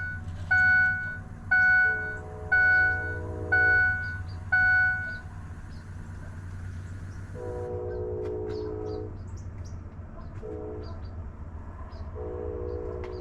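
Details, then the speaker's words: 2005 Ford F-250 6.0 Powerstroke after HFCM cleaned for water-in-fuel message and P2269: fourth and fifth key-on prime cycles, chimes then steady low lift-pump buzz until relay clicks off, purging air over six cycles; normal fuel pump priming. "this is time number four and we're just running until the pump shuts off off and you can hear the relay click and then we're uh repeating the process six times"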